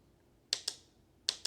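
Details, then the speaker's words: Mazda Miata NA/NB cruise control actuator on a bench test, coils grounded one at a time: two pairs of sharp clicks about three quarters of a second apart in a quiet room. Each coil switches fine. "The actuator contains 3 different coils. If one of these coils is grounded by the cruise control module, then you should be able to hear it click. So let's test if we have a working actuator."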